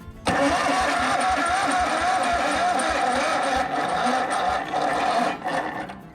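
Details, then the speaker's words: Yazoo/Kees ZT Max 42" zero-turn mower, solenoid jumped (arced) to test cranking: starter drags with uneven, labored turns about three per second fading toward the end; weak cranking, owner suspects battery near end of life despite overnight charge, solenoid suspected faulty. "I think that battery even though it charged up last night I think it's near the end of its life"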